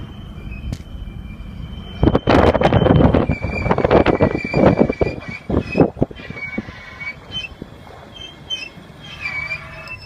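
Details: 1993 Land Cruiser: high, thin squeaks that bend in pitch come and go among thumps and rattles; cause unknown.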